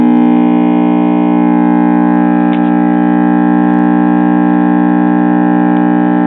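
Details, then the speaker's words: Trav-Ler 4-tube radio/record player at switch-on, dial light lit: loud steady low hum with buzzy overtones and no program audio; previously replaced Sprague can-type electrolytic filter capacitor is bad. "okay let's get started on it here's our chassis and as you can see this filter Capac has been replaced before with a sprag can type electrolytic"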